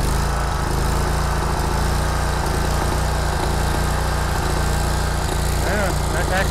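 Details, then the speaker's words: Kubota Z122R Kommander mower with long-running fuel problems, before carburettor replacement, dies when choke pushed down: engine surging and stumbling unevenly, acting fuel-starved; owner suspects weak fuel pump; rough running. "the choke up or choked down now as you can probably hear not running well at all really act like it's stalking for fuel"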